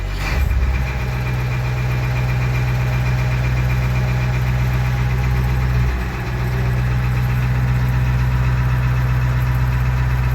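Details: 1988 International 1654 tow truck, 7.3 IDI diesel, after installing Facet electronic lift pump to cure air intrusion that made it die after starting: glow plug ticking, cranks and fires quickly, settles to steady even idle without dying.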